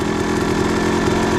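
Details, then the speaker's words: Suzuki RM250 two-stroke with new Lectron PRO carburetor: fast raspy buzzing idle that hangs high before dropping; owner suspects slightly lean and needing more carb tuning. "Got this high idle, there it goes. Not sure. I think we have a little bit of tuning to do, how the idle hangs, and then it goes, drops down."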